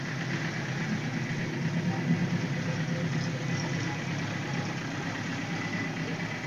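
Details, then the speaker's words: 1978 Suzuki GS1000C after carburetor cleaning: a lumpy, uneven idle with stumbling beats and one backfire. The number 2 carb float needle was held open by debris, flooding that cylinder and dumping fuel from the overflow hose; the fix is a new needle valve. "So that one backfire, and then this overflow hose started dumping fuel underneath the bike, which was from the number 2 carb."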